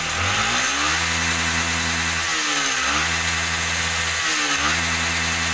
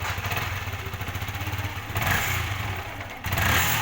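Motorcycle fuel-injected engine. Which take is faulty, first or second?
second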